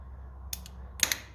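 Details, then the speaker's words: 1950s Lucas condenser fitted to the distributor, ignition switched on: two quick pairs of sharp crackling snaps over a quiet low hum, a clearly audible spark — normal ignition spark, condenser works. "Wait, Jesus, that's a spark, boy. You can actually hear, no, did you actually hear that?"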